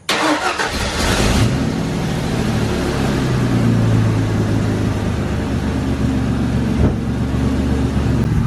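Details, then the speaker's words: 3.8 V6 SN95 Mustang drift build after a head gasket repair, exhaust leak fixes and EGR delete: it cranks, catches and settles into a smooth, quiet, even idle with no exhaust puffing or ticking. "she is purring like a kitten now I fixed all the exhaust leaks I'm not sure where they were at but now she sounds really quiet"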